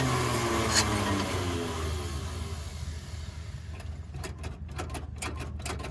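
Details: Budget hot rod on road trip with carb problems after a fuel filter came apart into the carburetor, choked by hand: starter chugs steadily three beats a second, no firing; engine cranks but won't start.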